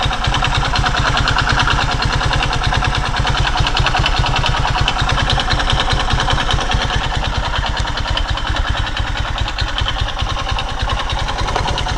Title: Мотоцикл Скаймото Пегас 110 Стук шатуна пробег 13 000 км